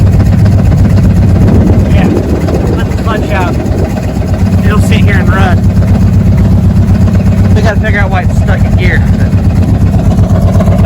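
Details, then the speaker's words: Circa 1980–82 Chevy squarebody truck with a 350 small-block Goodwrench engine, started after sitting parked: an uneven, lumpy idle with an irregular low thump about four times a second. It runs rough; the owner thinks a valve is sticking, unconfirmed. "gear it's not the happiest sounding truck I've ever owned something ain't [Music] right"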